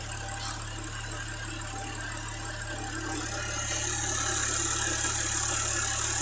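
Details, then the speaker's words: Audi B8 S4 supercharger with a 1320mm belt, 10mm longer and skinnier than the kit belt: steady, even idle with a smooth blower whir; the knocking and pulley heat from the kit belt are gone. "well check this out i put the slightly longer belt granted it's skinnier and the noise is gone"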